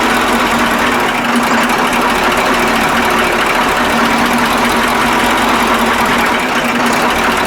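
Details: KAMAZ 65225 Euro-2 diesel truck after an engine-knock repair and reassembly: busy, even diesel clatter at steady idle with no single heavy knock standing out; the engine idles normally and the knock is eliminated.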